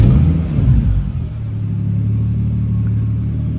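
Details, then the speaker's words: Toyota VVTi 2JZ-GTE after throttle-delete (cable throttle) conversion, restarted after a 5-minute ECU relearn at 650–700 rpm target idle: catches with a quick surge, then settles into a smooth, steady low idle with no misses or knocks; healthy. "Anyway, so yeah, everything is good to go. So, started up perfect. Sat idling perfect."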